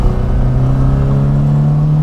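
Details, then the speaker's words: 1964 Morris Mini Cooper S 1071cc short-stroke four, temperature gauge coming up, revving smoothly with its hum climbing steadily in pitch, no rattles or knock; healthy, free-revving engine. "the 1071 is a nice big four but a short stroke so it revs really nice and it's silky smooth it's just glass"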